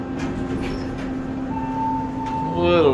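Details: Otis Series 1 hydraulic elevator serving floors P and 1 at the MGM Grand underground mall, Las Vegas, recorded during a run: a steady low motor hum held evenly, a chime at the end. The hydraulic pump sounds normal.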